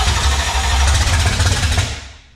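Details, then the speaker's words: 1966 Mustang with a 5.0 302 roller V8, first start attempt: the starter turns the engine over sluggishly with a labored, dragging rhythm before fading; cranking is clearly slow. "that sounds really slow"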